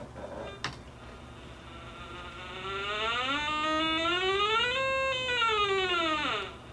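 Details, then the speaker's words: White's DFX 300 metal detector in pinpoint mode with the VCO (voltage controlled oscillator) on: a quiet hum, then a tone rises in pitch, peaks over the target and drops away as the coil passes. Normal pinpoint tone. "Voltage controlled oscillator. Changes pitch as it goes."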